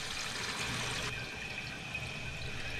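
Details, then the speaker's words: Toilet tank refilling after the flush valve gasket was replaced and the inlet water turned back on: steady rush of water with no hiss or trickle afterward. The fill is normal and the toilet should no longer run. "it's going to fill up and shouldn't leak anymore you shouldn't have a running toilet"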